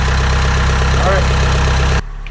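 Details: Boat diesel started in neutral after 8 days without a starter battery, following the rewiring of the lithium batteries: a steady, low, even thrum that then settles quieter. Healthy start and idle.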